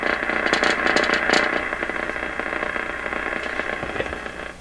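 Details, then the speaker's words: Stewart Warner R514 tube radio receiving on a bundle-of-wire antenna: buzzy, torn audio with a crackling rattle on loud passages, worse as tuning hits the station; damaged speaker cone rattling. "and this speaker is bad just rattling"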